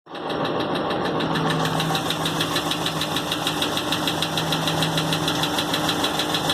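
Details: 2016 Hemi 6.4 with 23k miles, 24 hours after a dealer oil change: quick, even ticking knock about three per second over steady idle; fluids, gauges normal, no warning lights; stopped a day later, cause unknown.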